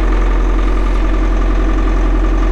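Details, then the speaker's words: Bobcat Toolcat 5600 diesel just started cold at about 32°F after glow plugs: steady deep drone holding an even fast idle of about 1300 rpm until warm, no misses or knocking; normal cold fast idle. "and right now it's uh it's about 32 outside so it's not super cold but it should start up finding this idle at about 1300 rpms until it warms up"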